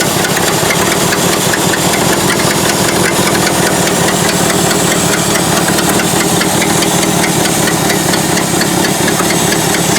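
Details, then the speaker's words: Ford F600 dump truck, first start in years: loud, busy idle with fast steady clatter and hissy edge; carburetor badly off, running with choke almost fully on, suspected massive vacuum leak (possibly old vacuum brake booster line); rough idle. "carburetor is totally messed up uh it's running with the choke almost all the way on but it never even labored really and pulled right through it so mechanically it would probably do the job got a massive vacuum leak i just can't figure out where it"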